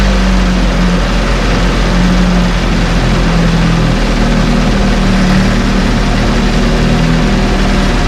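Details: 1968 Evinrude Fastwin two-stroke outboard, first run, just put in a test tank with fuel, no work done: strong steady even idle burble, no misses or rattles; running well, great heartbeat.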